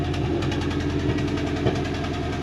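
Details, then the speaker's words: 1988 body-dropped Mazda truck that sat unused for months, now running and driving: lumpy, uneven idle with an occasional stumble; a slight misfire remains, cause not identified. "Still got a little misfire to it, but it runs."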